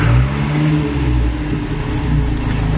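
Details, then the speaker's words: 1987 Toyota Pickup turbo, 22R-TE engine, idling around 500 rpm with a slight lope, then given throttle: deep engine note rising with a faint hard rhythmic diesel-like knock under throttle, source not yet pinned down. "but it when you give it some throttle it has that uh I don't know what to call like it almost sounds like it's a diesel almost like that That Knocking knocking sound"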